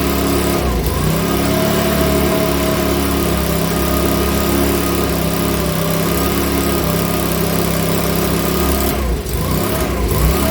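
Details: Makita BHX2500 four-stroke leaf blower, after valve clearance and timing check, NGK plug checked, airbox off: runs steadily but lumpy and uneven at speed, hunting slightly; rough running, owner reckons it needs a new carburettor.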